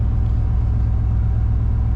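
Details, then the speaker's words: 1997 Chevy Tahoe 5.7L V8 with headers and EGR block-off, cold start after a cold night, 57 degrees at header, trouble codes present: deep, steady burble, even low pulse, no misses, knocks or ticks; normal cold idle. "she's running just fine. But I'm going to shut it down for a second, just so you can hear me."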